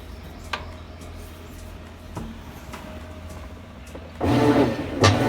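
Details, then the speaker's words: Used washing machine being diagnosed for refurbishment, lid lock and spin already working, later needing suspension rods: even low drive hum with soft, loosely regular strokes just over one per second, no grinding or knocking; normal agitate cycle. "all right well let's see if we can get it to agitate now okay we have an agitate mode"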